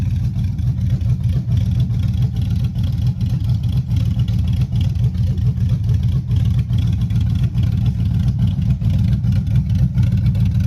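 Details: Chevy Silverado 5.3 V8, 4WD, 2.4 drop, rebuilt after a bent rod: 0.020 over pistons, Summit stage 1 cam, beehive springs; a hung injector was fixed. Revving on open pipes: a loud, deep, slightly lumpy rumble, clean, no knock or tick. Healthy.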